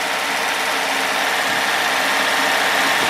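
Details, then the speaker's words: Roaming Home RV motorhome engine, dormant over 20 years, now on a rebuilt 1-barrel Rochester carb with fresh gas from an electric pump, choke held closed, warming up. Steady, even idle hum with no misses, knocks or smoke. "let it warm up let's hear what it sounds like out here nice [Music] no smoke nothing crazy that is awesome"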